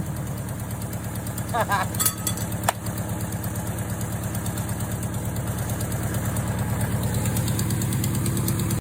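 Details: Volkswagen 1.6 air-cooled industrial fire-pump engine after new distributor, ultrasonic carburetor rebuild and full calibration: steady, even low putter at quick idle, rising slightly, no misses or knocks; runs cleanly.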